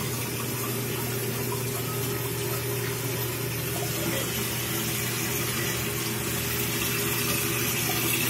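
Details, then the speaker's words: Toilet tank opened: steady hiss of water pouring nonstop into the bowl with no shutoff; running toilet, flush valve flapper suspected of not sealing. "Alright, so we'll see the flush full cock, still pouring water into the toilet, it's just not stopping."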